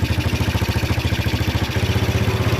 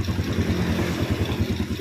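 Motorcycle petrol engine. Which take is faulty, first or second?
first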